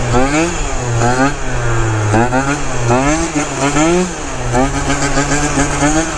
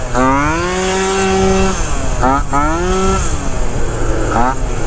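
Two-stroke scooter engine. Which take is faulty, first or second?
second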